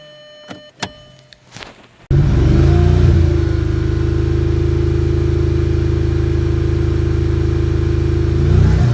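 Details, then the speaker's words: Audi A3 8P 1.8 TSI, parked about a year, after timing chain and injector replacement (one stuck open): catches then lumpy uneven stumbling idle, about three beats a second; plugs found dark, some fuel-covered; misfire, suspected fuel-fouled plugs. "But yeah, these are the spark plugs are looking. As you can see, quite dark. Some of them covered in fuel."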